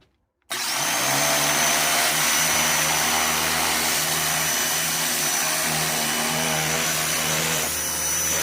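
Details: New Ryobi 2000 psi electric pressure washer with jet nozzle, cleaning a smoke-stained wall: motor kicks in to a steady hum with hissing jet, even pitch throughout; normal operation.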